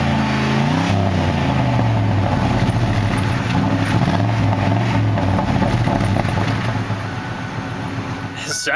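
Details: 1993 Lincoln Town Car V8 with about 289,000 miles and dual exhaust, in rough shape. At startup a deep, even burble climbs smoothly with a throttle blip and settles back without misses or knocks: normal idle and rev.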